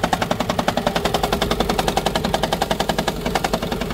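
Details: 2012 Toyota Prius, cold start in the morning: rough, rapid, even knocking and engine shaking.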